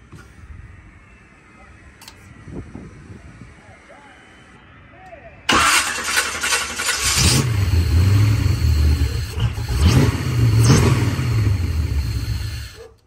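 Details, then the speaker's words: Volg Sniper EFI engine with brand-new coil, CDI box being checked: cranks, catches and roars briefly, then revs sag and die instead of settling to idle; starts then stalls repeatedly, cause not yet confirmed. "and that's it it starts up and it dies starts up and it dies it doesn't stay idling"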